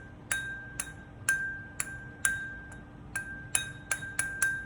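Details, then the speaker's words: Ring test on a new surface grinder stone before mounting: each light tap gives a clean, lingering high ring with no dull thump, so the wheel is sound; a thump would mean discard it. "two very important things before you even Mount the stone you've got to do a ring test you hear that high pitch noise"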